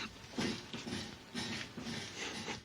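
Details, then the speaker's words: 2011 Ford Fusion Sport, engine running in garage, steering wheel turned: repeated groaning creaks from the front end, about one per wheel turn, traced to the worn strut top mount plate twisting; struts to be replaced. "try to listen as I turn the steering wheel you can hear the sound in the front end imagine what that's like after being on the road on a hot day"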